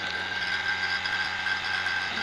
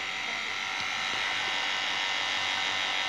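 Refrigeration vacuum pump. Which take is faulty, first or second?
first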